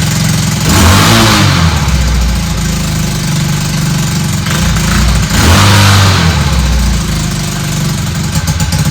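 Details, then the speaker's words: Honda DAX ST70 converted with a Lifan 125cc single, first start after fitting a custom bent exhaust: loud raw popping and chuffing as it revs and idles, sharp puffs at the head joint; header not sealing at the port, exhaust leak. "One, it's not sealing properly in the front by the head. You can hear it. It's terrible."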